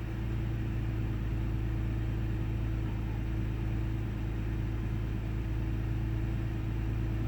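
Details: 1998 Ford Taurus SE V6 OHV, hood open, idling: low steady rumble with uneven beat and occasional stumbles, intermittent miss, mild rpm fluctuation. Earlier idle swung 400-1000 rpm without warning lights; cause not yet pinned down.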